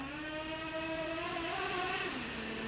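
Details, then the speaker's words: Traxxas Revo 3.3 nitro RC truck that sat 10 years: engine screams pulling away, then pitch drops almost at once as it grabs second. Transmission shifts into second gear too early. "so I'll go slow with it and then you'll hear it it shifts seems like way too early there it is Boom surely you guys heard"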